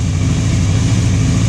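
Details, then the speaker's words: Free motorcycle, carb tops cleaned but bowls and floats not yet, on full choke: loud deep lumpy idle with uneven pulses, idling rough though better than before, puffing some smoke; cause unconfirmed, dirty carb bowls suspected. "It's idling, but it's rough. You can probably hear that."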